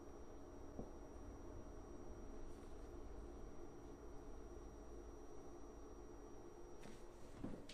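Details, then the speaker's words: WEMAX Nova 4K UST laser projector, owned about a week: a constant, thin, high-pitched electrical coil whine over the fan hiss. It starts when the laser initializes and lasts the whole time the projector is on. "for the past two days i noticed the high pitch noise coming from the projector which is very annoying and very destructive so i will show you what the noise sounds like"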